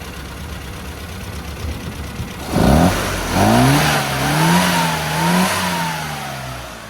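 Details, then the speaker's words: Mini Club with A+ 998 engine after fitting a rebuilt HS4 carburetor, timing 8° static and 32° full advance: revs pick up cleanly through several blips and settle back. No more misfire or chuffing; ready for a test drive. "now considering that was a misf firey uh uh chuffing engine we've come a long way so it's now ready for a test drive"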